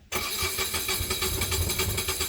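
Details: Onan 7500 HDKAJ diesel generator in a 2001 Coachmen 380 MBS Class A RV, just serviced with fresh 15W-40 oil and new oil, air and fuel filters, started after preheat: fires at once into an even diesel clatter, no misses or knocks; healthy start.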